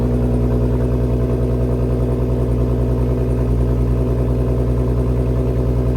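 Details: MK6 GTI with 3.6 VR6 after rod bearing repair and second engine flush: steady, even engine note with smooth low pulse, no knocking or ticking; runs great, no warning lights on dash, oil draining clean.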